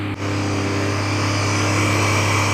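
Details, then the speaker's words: Chaser after a camshaft swap and turbo install, first start: a steady, even low idle with no whistle, flutter or knock; idle looks good, though shortly after, smoke, a hose smell and dripping are noticed and the engine is shut off. "Oh no, it's here. It's the idle. Okay. It looks good."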